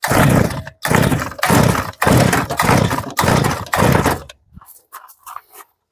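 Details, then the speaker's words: Zenoah 3402 brush cutter: seven quick recoil pulls with short whirring bursts, never fires; heavy fuel leakage, throttle cable seems to need adjusting, owner suspects carburetor needs disassembly and ultrasonic cleaning. "시동이 잘 안 걸리네요. 일단은 그러면 악셀 레버도 좀 레버 케이블도 조정을 해야 될 것 같고 전체적으로 누유도 너무 심합니다."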